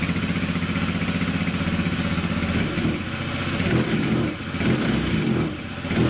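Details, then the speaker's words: 2018 Honda Vision 110 scooter after a new plug cap and lead and a replaced, reset sensor that had caused the engine management light and poor running: steady idle, then revs freely with some bench rattle; healthy. "Sounds all right. A bit of the bench rattling, but at least it's revving up now. It's not refusing to rev up."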